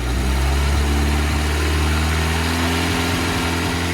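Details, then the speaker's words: Ford Escort RS Turbo S2 barn find after engine overhaul, now warm with coolant hot, revved to check an exhaust blow: smooth, even warm idle with a steady low hum, no misfire or ticking. "you can slide slide you hear it that sounds beautiful"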